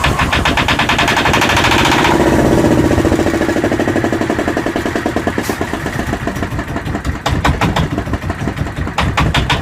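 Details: Yanmar SB12 marine diesel after fuel line repair and mounting the primer bulb vertically: even, steady idle clatter with no stumbling or dying, settling into a healthy idle while left running to purge air.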